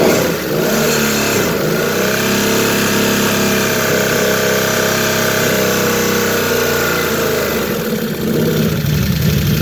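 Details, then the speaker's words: Can-Am Outlander 800 ATV: steady engine drone with a brief surge and dip as drive catches and lets go; clutch engagement noise, possibly slipping, not confirmed. "Like it kicked back in and out a little bit. Just a bit."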